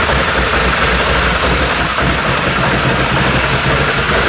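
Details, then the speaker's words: Can-Am ATV with electrical faults, first run after rewiring: small engine running ragged and uneven under heavy mechanical clatter, smelling of fuel; rough running, cause unconfirmed (harness or coil packs suspected). "run very good but it's running smells like it's might be gas"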